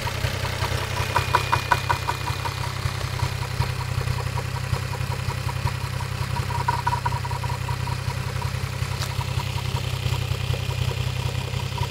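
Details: Toyota 1JZ-GTE VVT-i engine at steady idle with a light, fairly regular knock about two to three per second riding on top; engine knock, cause unclear.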